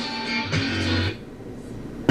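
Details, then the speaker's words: SoundTech PL250M amplifier with noisy outputs, probing the output chip's input pins: guitar chords ring clean and clear with no fuzz, just a click at the end; the chip is fed a clean signal but outputs distortion, so the chip will be replaced. "So it's being fed a clean signal."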